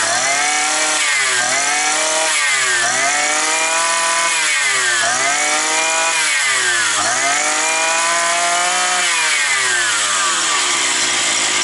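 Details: Roughly 52cc two-stroke petrol brushcutter that used to start and stall after sitting over winter, running with the air filter off after gunk was found as the cause: it revs cleanly up and down with the throttle with no stumbling or cutting out. Running properly.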